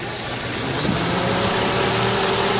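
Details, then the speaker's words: 1995 Geo Prizm (same as Toyota Corolla) petrol engine at idle, DLC terminals T1 and E1 jumped with paper clip for timing check: steady even idle lifts slightly and settles as ECU enters base timing mode. "you hear the RPM change when we go into base timing mode"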